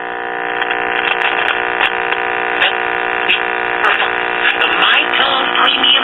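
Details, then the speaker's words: Late-1950s Londala Japanese tube radio after replacing an open 50C5 audio output tube filament, brought up slowly: steady low 60-cycle hum under station audio; failed filter capacitor letting mains ripple through. "all right sounds like the filter capacity shot she noticed the 60 cycle hum"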